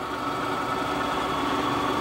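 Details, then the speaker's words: Clausing Kondia 3hp vertical mill with ProtoTrak Edge 2-axis CNC, just serviced and calibrated, moving to position for a circular pocket program: steady soft servo whir, no knocks or grinding, ball screws silent; normal running. "See, both servos are running. Brake works. You can hear these motors run really quiet, nice and smooth."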